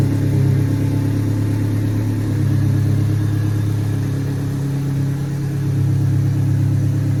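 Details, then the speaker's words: 1998 Honda Civic after installing a Denso MAP sensor: steady low rumble with an even, settled idle, no misses or knocks; starts better, earlier miss gone, no sensor codes; normal idle. "Well, it started better. Don't have that weird miss."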